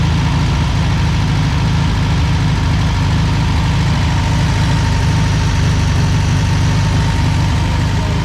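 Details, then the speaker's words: 1963 VW Beetle ragtop air-cooled flat-four, first run after sitting about 27–30 years, fuel pump was the cause of its stalling: heavy, uneven, lumpy idle with slight shake, running rough though running. "it's not running the greatest but it's running the fuel pump was the issue for its stay running again"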